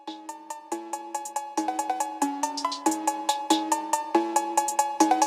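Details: BMW E46 325xi M54, EWS faults, crank no start, ignition beeping: quick varied electronic chirps while programmer writes the old VIN file to a donor EWS3 module; write completes normally.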